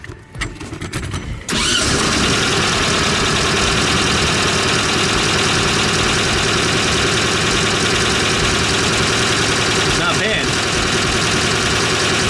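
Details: 1971 VW Type-3 Squareback 1600, cold engine, after the vacuum line was refitted: catches quickly after a short crank and settles into a quiet, even idle with no knocks or misses; sounds healthy.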